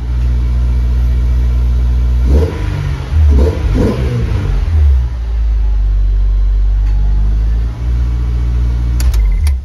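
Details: Honda S2000 AP1 with Science of Speed supercharger, Link PnP ECU, Walbro 255 pump, RC 750 injectors, first start after fuel system install: catches promptly, blips up and drops back twice, then steady deep idle; normal start and run.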